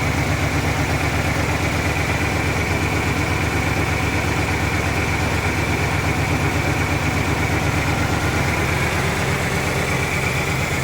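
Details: 1997 Ford Ranger 4-cylinder, unused since 2011, with a replaced fuel pump and new battery but old gasoline and unreplaced spark plugs: lumpy, uneven rough idle at about three beats a second. Cause unknown.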